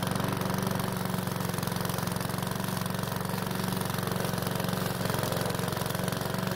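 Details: PowerSmart mower's single-cylinder engine, refilled with fresh fuel after a hard no-start, runs steadily at about four firing pulses a second with no misses. It was slow to start but runs okay; oil in the muffler burned off as it warmed.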